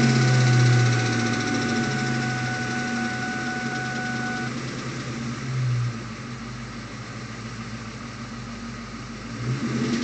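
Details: 2001 Ford Mustang GT, heard from inside the cabin: dull knock about once a second under the V8 idle, occurring only above 1000 rpm with no power loss; timing chain and tensioner replacement didn't help. Confirmed rod knock, fixed by replacing the motor with a forged short block.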